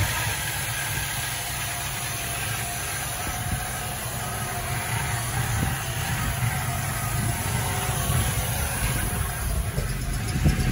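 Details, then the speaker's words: 1978 Plymouth Volare Super Coupe petrol engine, restarted after 3-5 years not running and a decade of prior sitting; after freeing a sunken carburetor float, it idles with a steady, even low rumble, slight background hiss, no stumble or knock: normal idle. "runs beautiful this car is like new perfect"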